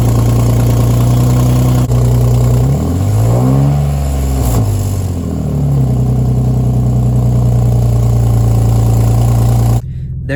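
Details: Infiniti G37 exhaust leak: deep rough idle with a quick rev and raspy puffing beneath it; before repair, with gasket maker planned as the fix.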